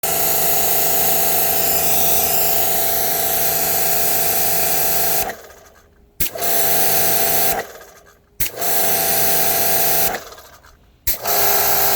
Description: Kranzle making odd grinding noise. Is it normal?